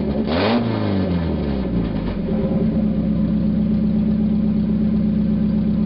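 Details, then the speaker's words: 1991 Mazda Miata 1.6 litre, catalytic converter removed, running straight pipe: a blip of revs, then a loud, raspy, unmuffled drone at steady idle; sounds bad but revs up much quicker without the converter's back pressure. "Well, I was right. Sounds like crap. Definitely revs up a whole lot quicker though."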